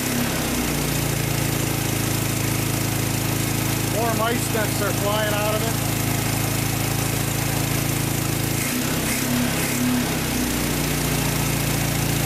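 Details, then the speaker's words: 1956 VW Beetle barn-find flat-four engine (not the correct engine for a '56), first start after 24 years stored unrun with mice nesting in it; steady even putter, no knocks or rattles, fires in one or two cranks: normal healthy idle. "running good yeah so there you have it can't believe it fired right up after 24 years of sitting in a barn"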